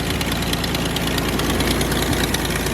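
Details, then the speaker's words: Car with an erratic idle and misfire, after fitting an OEM coil pack and new copper plugs, codes not cleared: loud, uneven idle with a steady rhythmic thump and shaky firing; still rough, owner now suspects the idle air control valve. "All right. So, it's still idling pretty rough."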